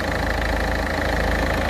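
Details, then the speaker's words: Peugeot 206 DV4 diesel after replacing injector seals (copper washers): steady, even idle with a low, smooth rumble and no sharp ticking; normal engine noise, previously heavy smoke. "donc écouter le bruit là on a vraiment le bruit traditionnel le bruit moteur normal voilà"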